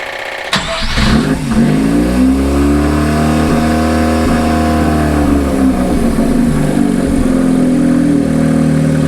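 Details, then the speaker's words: Mazda 13B rotary engine in a Willys four-wheel-drive jeep, started for the first time on a cold day with the shop doors shut; it catches at once, settles to a busy, even idle and takes smooth rev blips with a crisp exhaust. "did you hear that exhaust this thing sounds good"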